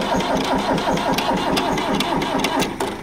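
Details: Old Arnoux tractor: slow, uneven cranking at about two and a half turns per second, never firing. The battery is suspected to need charging, unconfirmed.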